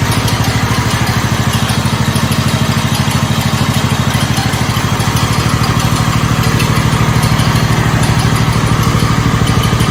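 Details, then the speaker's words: 1969 Blue Patio garden tractor single-cylinder engine after starter replacement: steady even chug at about three beats a second, no misses or knocks; runs much better than at first start. "I can definitely say it runs a lot better now than it did when we first started it up man that sounds good"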